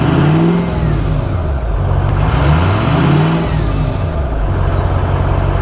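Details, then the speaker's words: Ford F350 Super Duty 6.0L Power Stroke diesel, after an hour's drive with good oil and coolant temperatures: deep rev with a rising and falling whistle tracking engine speed, the turbo spooling normally. "but there are a few engines that sound better than an old Power Stroke with that whistle I mean that this thing is going to sound amazing once more done"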